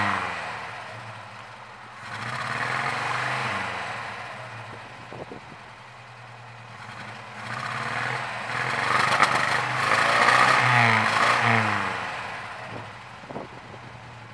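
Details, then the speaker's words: 1967 Volvo 122 Amazon B18 engine with low compression (150, 120, 120, 150 psi): lumpy, uneven running with a loping beat of three or four per second and surging revs; weak cylinders. "has low compression so it's really not running that well but that's what it sounds like"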